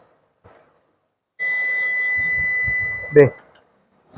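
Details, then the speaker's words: Computer UPS after battery replacement and reassembly: single steady high beep about 1.5 seconds then a click as it powers up, backup indicator lit; normal startup. "Backup നമുക്ക് കത്തി നിൽക്കുന്നുണ്ട്. നമ്മുടെ UPS ready ആയിട്ടുണ്ട്."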